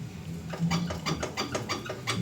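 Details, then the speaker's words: Ford Everest driver-side front wheel rocked by hand after a trip: dull irregular knocks, two or three a second; upper control arm loose because its nut has come off, unlike the other side where the nuts had only loosened. "Dito sa pag-checkup na ginawa ko, napansin ko agad dahil nga sa malakas talaga yung ugong upper arm niya. Parang natanggal na yung turnilyo."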